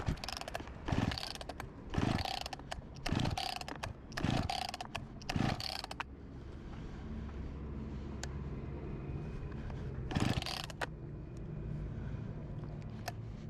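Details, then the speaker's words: Discarded Husqvarna 254 G chainsaw, tank found empty and refuelled, fuel filter fine: six sharp recoil pulls about a second apart with good compression but it never fires. No start, fuel delivery fault; spark later confirmed present. "Nothing - let’s bring it back in Let’s check for spark and maybe throw some fuel straight into the cylinder"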